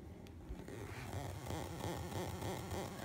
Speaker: It is coming from the rotator effect. Even though I have nothing running through it, there is always this just constant sound of it, well, rotating.